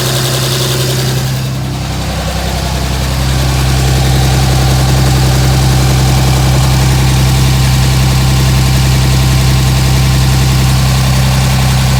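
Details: 2007 Dodge Ram 5.9 Cummins diesel idle, steady low clatter with slightly uneven pulse about 160 a minute; rough idle started a month ago. Intermittent fuel rail pressure sensor, MAP sensor and overboost codes (no boost fooler fitted); owner asks about blow-by; cause unknown.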